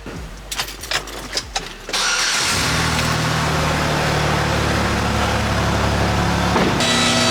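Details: 2006 Chevrolet Impala 3.9L, before cat-back replacement after the rear exhaust section fell off: a few cranking bursts, then a loud, raspy, blatting idle. Exhaust leak.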